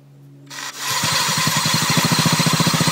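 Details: Ruckus scooter: the engine catches, then a rhythmic scraping pulse about four times a second rides over it. Abnormal variator noise, cause unclear.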